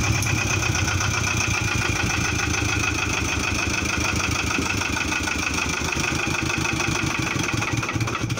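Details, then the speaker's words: Idle after replacing a busted generator: an even, regular pulse with no squeal, slap or chirp, and the belt is not flapping, so belt tension is good. Normal idle. "Yeah, when you start the engine, you need to check that the belt isn't flapping around. That means you have a good tension."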